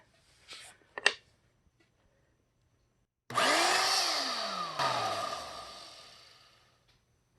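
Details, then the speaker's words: 2000 Dirt Devil Featherlite vacuum, about 19 years old, on a test run after repair with the motor springs tensioned and no rubbing. The motor spins up to a loud high whine that settles, then coasts down smoothly with no weird vibration. Some carbon brush sparking is expected to reduce as the brushes seat. "So it's definitely running. It's not doing any of that kind of weird vibration or anything."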